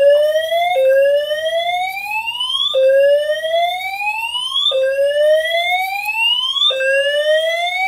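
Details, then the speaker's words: Simplex 4010 fire alarm panel multi-tone horns, reactivated after missing a signal until reset: rising sweep about every two seconds, one cycle cut short restarting early, double-skip catch-up; timing lag, cause unknown. "and then the horns will then do like a double skip catch-up and I don't know why that happens"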